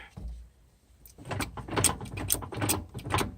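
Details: Ford 8.8 TracLock limited-slip axle in a 1998 Jeep Cherokee XJ, wheel forced round by hand with the other side loaded: irregular clunks and clicks. Clicks and groans on slow turns; owner suspects the original spider gears (1/8" play on one).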